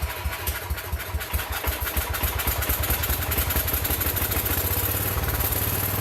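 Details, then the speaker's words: John Deere 110 garden tractor pulled from scrap, first run after sitting for years; points had burned from jumping the wrong coil side, real battery jumped on. Single-cylinder fires steadily with an even beat, no knocking or rattling; some smoke from oil put in the cylinder. Normal running. "that sounds pretty good there isn't blowing a big cloud out some of that's the oil I put in the cylinder not knocking or rattling"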